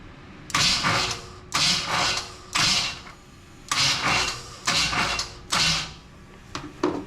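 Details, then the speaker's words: 1980 El Camino with Vortec 350, no oil reaching rocker arms, valve cover off: about seven harsh, loud whirring starter bursts bumping the engine over; noise because the starter needs shimming. "Let's hook the starter up and bump the engine over a little bit. It's going to be loud cuz that starter needs to be shimmed."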